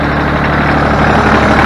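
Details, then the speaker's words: Ford New Holland 1630 three-cylinder diesel tractor after hydraulic leak repair: a steady idle with no hydraulic squeal under loader or rear lift load, where it used to squeal until warm as if low on fluid. "i can tell by the way that it that it runs the lack of the steel for the hydraulic system when i put a load on the front end loader or i lift the rear end"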